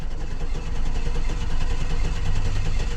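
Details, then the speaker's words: 2009 Hummer H2 V8 with 181,370 miles and a cylinder 3 misfire, cranked in clear-flood mode with the accelerator floored. The cranking rhythm is uneven, with one lighter beat per cycle, showing a low-compression cylinder; a relative compression test is planned to confirm. "We have a low cylinder. We clearly have a low cylinder."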